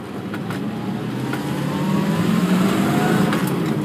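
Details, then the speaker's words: 1964 Corvette Stingray V8 on a road test accelerating through the gears: deep V8 note climbs smoothly and evenly with no knocks or stumbles, good torque and easy shifts; healthy engine. "Alors voilà, pour l'accélération, elle part bien, elle est vachement bien à conduire, et surtout les vitesses sont très très agréables à passer."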